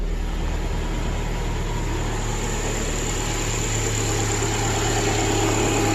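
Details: 2010 Subaru replacement engine idling after install, following brief rough running and smoke burn-off: even, low idle thrum with regular pulse, no knocks or ticks; idling smoothly, no check engine light.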